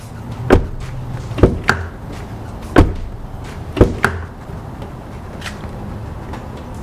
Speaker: door itself is solid. There's no vibrations, no rattles, no anything. So mission accomplished.